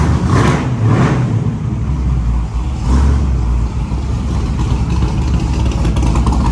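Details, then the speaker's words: Lil Red, a 1946 Chevy rat rod truck with a fresh replacement 383 small block (1970 350 block, Eagle rotating assembly, Promaxx heads, 10.5:1), started after a PCV system rework. A deep, strong V8 blips up and settles back smoothly with no misfire or ticking. Runs tight and healthy. "Tight, sounds good, looks good."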